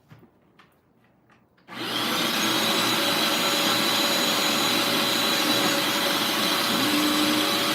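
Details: Bissell Lift-Off carpet shampooer picking up a wetted carpet area: quiet start, then the motor spins up to a steady, even high rush of air with no rattle or surging. Diverter sends suction to the floor nozzle, working normally.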